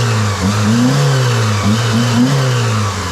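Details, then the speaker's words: 2003 Mitsubishi (Lancer/Eclipse) with P0300 misfire and power loss, only two of four cylinders working, after replacing the spark plugs: petrol engine revs smoothly up and down with an even note, no stumbling or popping; now very stable. "diferencia abismal está súper estable el carro nada que ver como había estado antes"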